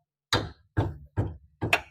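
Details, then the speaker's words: Maruti Alto brake caliper with worn guide pins, heard as clack-clack over rough roads and often mistaken for suspension noise; four sharp dry clacks about half a second apart; fixed by replacing the caliper pins. Caliper guide pin knock. "Suspension noise கிடையாதுங்க இந்த calliper பின்னனாலதான் இந்த noise வந்துகிட்டு இருக்குது"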